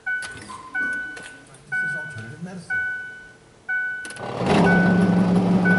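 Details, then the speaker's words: 2004 Ford Freestar with a no-heat complaint: chimes, then the blower fan switches on with a loud rushing roar and a rough low hum from behind the glove box; a broken blower squirrel cage wheel, fixed by replacing it. "as soon as you turn the blower motor on it sounds like it's going to come out of the glove"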